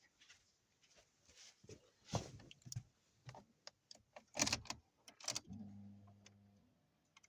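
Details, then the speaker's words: Ford Focus III that cranked but would not start (wet plug, spark present, also no start on gas), after fuel tank work with fuel pressure holding about 3 bar: keys and cabin clatter, then engine catches promptly into smooth steady idle; no warning lights, normal start. "Ніякі контрольні лампи в нас не горять. Не світять. Автомобіль працює справно."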